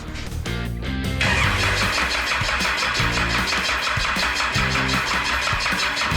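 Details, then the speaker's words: Cummins 6BT being fitted to a Nissan GU Patrol with 4L80e, first start after priming the oil pump for pressure: brief crank, fires at once, smoky, settles to steady even idle with no knocks or misses; engine runs fine. "there you have it guys i'll put on a bit of a smoke show here the engine runs it's all good"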